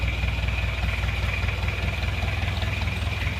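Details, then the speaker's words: Isuzu Panther Miyabi diesel after engine rebuild, glow plugs not working so it was hard to start, injection pump timing suspected too far advanced: steady low idle, even clatter about 2.5 beats per second; still smoking, not yet warm, normal cold idle. "ini kondisinya seperti ini masih ngasap karena masih dingin belum [Musik] panas"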